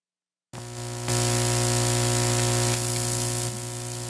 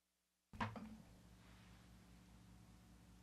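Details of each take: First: Parts Express 240-398 line matching transformer: loud, steady buzzy mains hum starting abruptly; the cable shield is not connected, leaving unshielded twisted pair on a high-impedance unbalanced signal. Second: Parts Express 240-398 line matching transformer number three, after reconnecting its cable shield that was previously unconnected and hummed badly: one connection thump, then only a faint steady low hum, possibly room noise; clean and quiet now.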